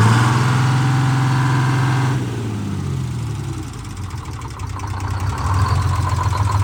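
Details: A Detroit Diesel 6-71 in a 4104 bus, after coolant-in-oil contamination and a fresh oil filter, is run hard in neutral to reach temperature until the thermostat opens. A deep even drone with steady firing and no knocks; it sounds healthy.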